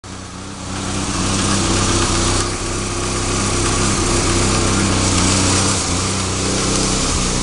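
A steady low idle hum with a slightly uneven, wavering beat and small level swells: this engine is idling rough, cause not yet pinned down.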